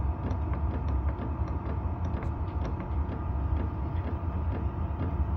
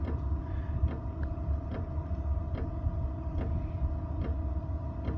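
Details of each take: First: Tunable diesel heater, low end retuned two points higher with the fan rising automatically, 4 Hz max: even fan hum and low burner rumble with light pump ticks about four a second; normal running. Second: Tunable diesel heater, 12 V, with the fuel pump frequency dropped to 1.2 Hz: sparse, irregular ticking about once a second over a low fan rumble; the pump frequency is set too low for an efficient burn.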